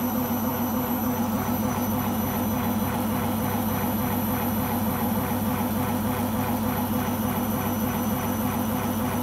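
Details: Beko washing machine on its last legs, loud continuous rumbling roar with a steady throb about three pulses a second during spin; owner suspects the rubber behind the drum.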